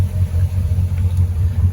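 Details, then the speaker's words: 2018 Crownline 264 CR engine, low but unknown hours, idling with the engine cover open; the cover has sound insulation, so it is quieter closed. Smooth, even low rumble with no ticks or knocks, belts not chirping, making good water; healthy idle. "Good. Belts aren't chirping. This is with the cover open, and there is sound insulation underneath the engine cover, so it's a lot quieter"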